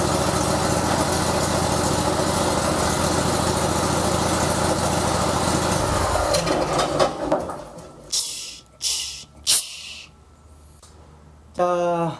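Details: Vanguard 35 hp road cutter, fuel fed manually to bypass the stuck, non-clicking carburetor fuel solenoid: steady, even buzz for about six seconds, then winds down cleanly, no misfire.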